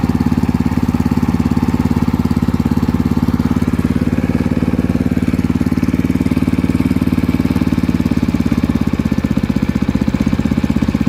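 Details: Water pump engine (alkon) that had been losing ignition suddenly, now levelled with the yellow low-oil sensor wire unplugged (oil confirmed present): small single-cylinder holds a steady, even putter with no stumbling or cutting out; runs normally.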